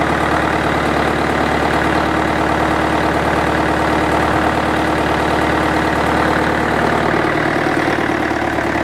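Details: International 554 diesel tractor, not run for about 5 years, restarted: steady, even diesel clatter at about 220 beats a minute with no knocks or misses; a healthy idle.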